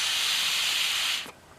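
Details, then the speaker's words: 5HP Briggs rototiller fuel cap vent cleared: steady airy hiss for about a second, then cuts off, air now passing; previously blocked vent pressurized tank, pushing fuel out carburetor base gasket and choke; after fix, retuned and no leak. "now you can hear air and i let this run for about five ten minutes re-tuned it tuned a lot better and after i'm done there's no fuel spewing out of the carburetor"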